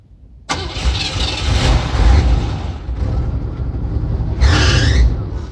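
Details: Aging Cadillac: starter churns for several seconds with slow, uneven turnover before the engine finally catches and runs; hard start, cause not pinned down.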